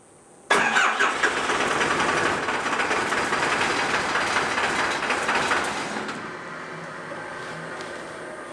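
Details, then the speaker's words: Cummins 4BT diesel in a 1968 Ford Bronco, first start attempt: long steady starter churn, engine trying to catch but never firing; air still being purged from the injector lines. "Gauge is on. Running pretty rough. Hopefully it's just air in the system still, but wow."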